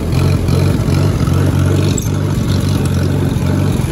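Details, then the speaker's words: Allis-Chalmers WD-45 tractor in third gear going slightly uphill under load: low, lumpy exhaust beat that stumbles and bogs instead of pulling smoothly, less downhill; engine sputter under load, owner suspects carburetor/float needing rebuild. "notice how it's only doing it when i go up a slightly uphill in third gear because i'm kind of bogging it and working it a little bit more"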